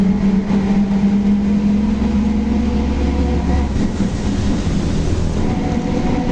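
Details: Volkswagen Torino S 17-230 OD Euro V bus, driving: a steady low droning howl sits over the rolling and engine noise and fades as speed drops. Loud differential roar, cause suspected, not confirmed.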